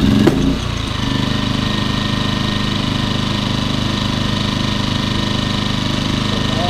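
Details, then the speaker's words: Champion 2000W 73536i generator with about 16–24 hours of use, after carburetor removal, idle jet and port cleaning, and a new fuel filter: it settles into an even, steady idle with no surging while the economy switch is toggled. Normal idle. "that's what it's supposed to sound like I was just switching the economy switch"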